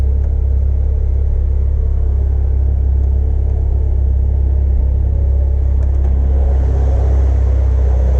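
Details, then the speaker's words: 1996 Mitsubishi Evo IV CN9A, 4G63 turbo four, idling after new spark plugs: steady, even low rumble with no knocks, ticks or hunting; smooth and healthy. "all right everything sounds good go ahead and put the the cover back on"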